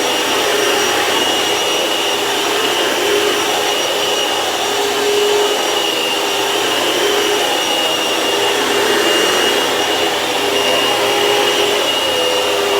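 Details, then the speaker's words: Vacuum cleaner after replacing its belt with the correct style: steady, even high whir at constant pitch with no thumping or slapping; runs smoothly and sounds much better thanks to the new belt. "can see that the belt sounds, that this vacuum sounds a lot better because of the belt."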